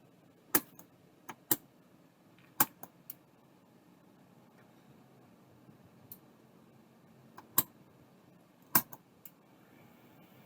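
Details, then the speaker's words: An old, dusty, neglected drive powered from a bench supply. About ten sharp clicks at uneven gaps over near silence as the supply's overcurrent protection trips, before a smoke smell and the drive finally spinning up. "hey hey so those first few clicks were the overcurrent protection on the power supply and then I got a lovely smoke smell and then it started to spin"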